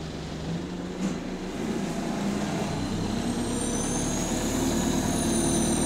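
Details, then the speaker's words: Euro 6 Transport UK bus TUK 8202 on route 367, heard from inside: a thin high whistle climbs and holds over the diesel drone at full throttle, higher-pitched than Euro 5 buses; suspected turbo boost leak, not confirmed. "when the driver presses the thr to the max the pitch of the turbo will be so high from it's a it's a bit higher than the Euro 5's turbo leak"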